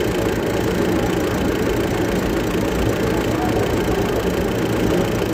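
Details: Hino diesel engine at idle: steady idle with a dense, heavy clatter running through it and no let-up; engine knocking at idle, cause suspected but not identified.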